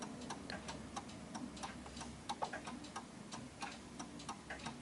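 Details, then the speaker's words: 1930s Enfield 8-day striking oak mantel clock after beat adjustment, crisp even tick-tock at about 90 beats a minute; in beat and running steadily. "it's working quite well."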